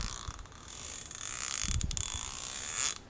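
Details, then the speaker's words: 1/2-inch ratchet that had seized, after disassembly and relubrication with Archoil AR8100 grease: light even clicks, quiet and smooth with no grinding or catching; healthy, turns with almost no effort. "So, yeah, much quieter. It's a lot smoother now. Almost no effort to turn this thing."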